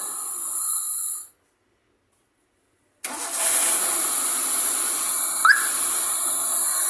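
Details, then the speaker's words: 2006 Maruti Swift petrol with a misfire complaint, repaired (video labelled ECM): engine shut off and restarted, settling into an even, steady idle with no stumble or vibration. Firing is smooth; the check light remains, possibly an oxygen sensor issue. "देखिए दोस्तों बिल्कुल vibration नहीं है, smooth firing है।"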